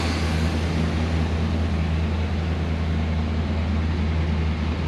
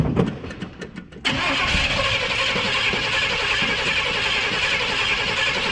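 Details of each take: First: Abandoned K5 Blazer revived after cranking and a squirt of starter fluid: steady, even low rumble with no knocks or misses, 40–50 psi oil pressure; healthy normal idle. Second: Abandoned Chevy K5 Blazer being revived, cranked after starting fluid: steady fast starter cranking, about 3.5 beats a second, for five seconds without catching. The fuel in it is known to be bad. Crank, no start.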